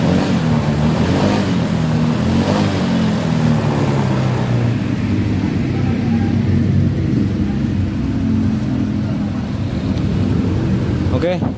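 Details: Honda Vario 150 scooter, just after wiring connectors were re-fitted and wrapped in insulating tape against water while troubleshooting a no-start, fires on the starter and settles into a steady, even idle with no knocks or misses; healthy normal idle.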